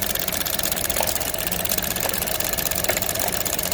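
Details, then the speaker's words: Vauxhall A14NET petrol engine at idle after head gasket replacement: light, quick ticking felt inside the purge valve, stopping when it is disconnected; purge valve stuck open. "Dus ik kan het daarbinnen voelen tikken. Het is allemaal ruis. Je hoort het als ik het heb losgekoppeld dat het is gestopt."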